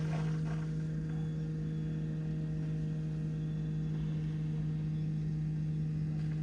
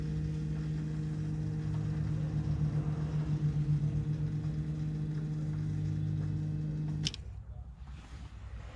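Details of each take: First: BMW F15 X5 35d diesel after fuel filter replacement, primed without scan tool: steady even low drone, no gurgle of air left; pump primed, running smoothly. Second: BMW F15 X5 35d diesel after fuel filter replacement, primed without scan tool: steady hum with faint fluttering pulse about seven seconds, then stops; air being pushed through.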